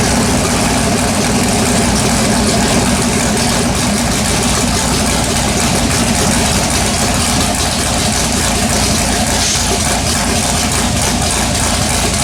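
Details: LS-swapped Chevrolet S10 V8 with MSD ignition, running after carbon-fouled plugs were cleaned and coil wiring checked: steady, even idle with a loud low rumble and no misfire stumble; normal idle.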